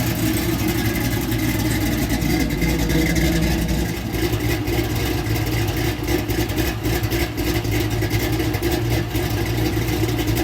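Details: LS-swapped Oldsmobile Cutlass, fuel-injected V8, after electrical no-start repair: deep steady rumble rising and falling with throttle, no misses or knocks; runs cleanly.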